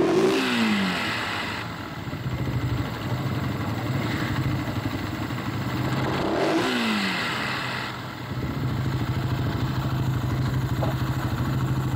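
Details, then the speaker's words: Suzuki Raider 150 Fi single-cylinder revved twice, a rattly clatter lingering as revs fall; recently had its balancer replaced, gear suspected misaligned or damaged. "nagpapalit lang daw ng balancer so meron na tayong idea kung ano yung problema so possible nga nito may tama yung gear kaya Gan yung tunog"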